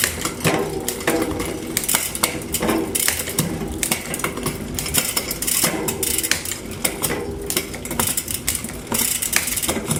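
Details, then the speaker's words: Trek Top Fuel mountain bike after a new cassette and chain, recabling and lubing: quick crisp clicks on each shift up and down the cassette, with a quiet chain and a washing machine humming in the background. Smooth gear shifting. "I was able to go up up down and keep going up down to make sure everything got hit perfectly."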